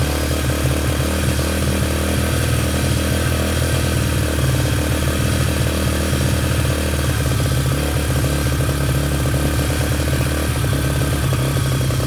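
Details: Yamaha TTR125 just restored, first run after reassembly, started with brake cleaner: the small single thumps unevenly, beat wavering and stumbling instead of holding a clean steady idle; running rough.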